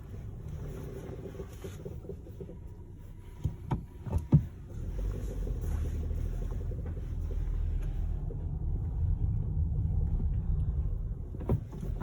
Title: SEAT Ateca - Knocking noise 30/08/2019 Part 2